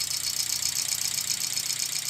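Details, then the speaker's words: VW Gol G4 EA111 petrol engine, cold at start-up, idling rough with shaking and a fast metallic clatter; oil pressure just under 2 bar at about 1,800–1,900 rpm; lifter noise suspected, cause of misfire and noise not yet found. "Olha o barulho. Também a trepidação que tem, né? Isso é o motivo da falha. O barulho é o que a gente quer descobrir também."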